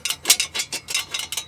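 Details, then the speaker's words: 1997 Fiat Palio, front left wheel: broken brake dust shield behind the disc, still partly supported, clattering with a thin tinny sheet-metal rattle in quick bursts over bumps and vibration; owner plans to remove it. "Ó, tá vendo a chapa da que protege aqui o disco. Quebrou. Eu não sei se dá para mim tirar do jeito que tá."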